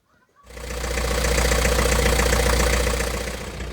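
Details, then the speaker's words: Rival 41 sailboat inboard engine after mechanic's repair of an at-sea engine failure, run about an hour in and out of gear: steady even chug about four beats per second, no knocks or stumbles; normal idle. "as you can hear and see the engine running perfectly again i've had it running now for about an hour in and out of gear"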